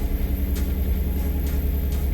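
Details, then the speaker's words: 2011 Nissan Teana at idle with muffler not fully connected: deep, loud, throaty rumble far lower than stock; exhaust leak at the loose muffler, check and battery lights on. "okay, so the muffler isn't fully connected now, so that's why it sounds extra low."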